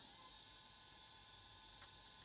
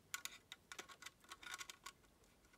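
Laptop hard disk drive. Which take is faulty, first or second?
second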